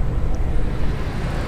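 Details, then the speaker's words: Jeep Grand Cherokee ZJ Chrysler 318 5.2L V8 at fully warmed idle, gauge near 35-40 psi but later drops to 20 (faulty sending unit found): low even rumble, only lifter noise, no unusual knocks or ticks; normal idle. "no unusual noises whatsoever no unusual ticks all you hear the only noise you hear is the lifters actually"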